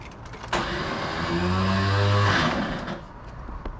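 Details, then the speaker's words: Porsche 911 that always started reliably now gives a short electric whir at the rear for about two seconds on key turn, but the engine never turns over; owner suspects a bad starter or flywheel engagement issue, unconfirmed. "so that sounds like the starter motor is not maybe not uh not turning the car over could be a flywheel issue where the flywheel is not engaged"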